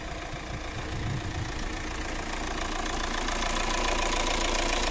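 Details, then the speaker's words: Fiat Doblo 1.9 JTD (Opel Z19DT 1.9 CDTI) diesel after complete engine overhaul for knocking, warming up: even idle with light, steady injector clatter and no heavy knock; engine now sounds healthy. "что я могу сказать звук совсем двигателя совсем вообще не узнать даже прогреваемся"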